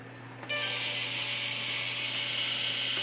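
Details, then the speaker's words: Projector cooling fans grinding only when the bulb is on: a loud, harsh, steady high-pitched rasping whir from two fans that still spin and move air. "so yeah major grinding they're spinning though they both spin air's coming out but loud as loud can be"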